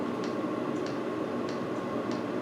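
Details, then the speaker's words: Red self-contained diesel parking heater on low setting: light even dosing pump ticks about every 0.6 seconds over a steady fan hush; pump metering fuel normally. "that's just ticking away nice."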